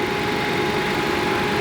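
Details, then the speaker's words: Turkish-built Ford Transit with overheating complaint, parked with AC on full blast: strong steady whoosh and constant hum of cooling fans at full speed; fans working normally, not the cause of overheating. "They're blowing air like mad. You can hear the fans are blowing like mad."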